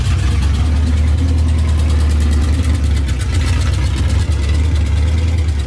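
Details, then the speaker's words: 1978 Dodge Power Wagon V8 after a long-tube header install, new starter, tuning and an oil change; deep, steady rumble with an even beat and no ticks or misses: normal idle. "what we wanted yeah i think it's really good sounds good to me"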